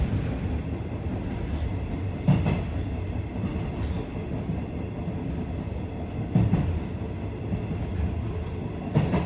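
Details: Okayama depot JR 105 series set F-07 train, recorded 27 February 2018, rumbles past steadily, broken by sharp heavy thumps from a wheel flat spot.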